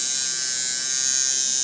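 High, even buzz with a steady pitch and no rattle or stutter; the coil machine is running smoothly and evenly.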